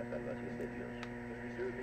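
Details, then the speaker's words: Grundig 750 receiver tuned near 5970, heard through a microphone: low steady AC mains hum under faint radio chatter, caused by the antenna being disconnected; hum stops once the antenna is connected. "a devil is a hum coming from got a definite AC hum there oh wait a minute I don't have the antenna connected to the Grundig"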